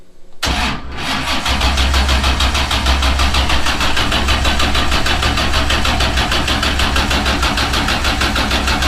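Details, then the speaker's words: New Patriot Performance 427ci LS, solid roller, dry sump, first start attempt on the lift pump only; slow, struggling cranking of about three strokes per second from high compression, with no firing at all: cranks but won't start. "No start, no fire. Not even a little fire. Cranking kind of slow, but look at this."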